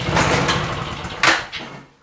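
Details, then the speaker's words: Discarded, neglected Victa Mustang 20 two-stroke lawnmower, fuel flowing, primed three times, throttle mid, pull start: a few ragged coughs and pops, then fades to nothing; sputters but won't keep running. Carburetor later pulled. "is she going to run well she spluttered folks give her another"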